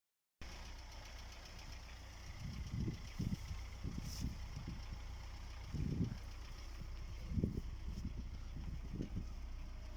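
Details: Chery Amulet A15 engine knocking at idle with the oil pressure warning lamp lit; low, uneven deep thumping knocks about once a second from the bottom end over a rough idle; teardown planned, cause unknown.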